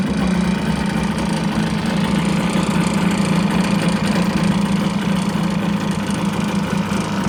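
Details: Kawasaki 550SX stand-up jet ski two-stroke, sat about 30 years, carb untouched, plugs retightened after leaking compression; steady idle with an even buzzing beat and no stumbles or knocks, sounding healthy.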